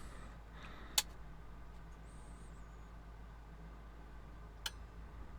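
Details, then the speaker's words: Marantz 2500 receiver being restored, powered up through a dim bulb with all connections made: over a quiet mains hum, crisp clicks as the soft start/protect relay pulls in, meaning voltage reached the correct level; bulb fairly bright but no shorts. "there we go so the protector or the soft start relay did pull in meaning our voltage got up to the correct level"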